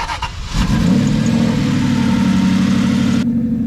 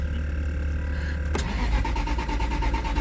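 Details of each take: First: Cheap auction-bought Aston Martin V8 Vantage, manual six-speed, modified and sitting with unknown mechanical damage, low fuel, battery charger connected: brief crank, then the V8 catches and settles into a steady, even run with no misses or knocks; clean start. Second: Aston Martin V8 Vantage, 6-speed manual, heavily modified, bought at auction with mystery damage, which had run moments before. Fuel about a quarter tank. The starter spins evenly, roughly nine pulses a second, but it never fires: crank, no start.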